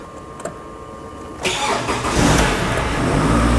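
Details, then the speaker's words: Toyota RAV4 with a battery charger connected: a quick crank, then the engine catches cleanly and settles into a smooth, steady idle. The battery warning light, previously stuck on, is now off, so the fix worked. "So as you can hear, the engine is running and the battery light is off."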